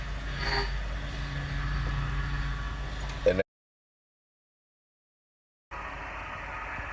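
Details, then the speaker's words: Power steering after pump replacement and a leaking hose fixed, with the wheel worked back and forth while bleeding: pump noise drops to a softer, steadier hum once fluid circulates through. "it's just pushing the fluid through once the fluid is all the way through your car's gonna be quiet and you'd be ready to roll"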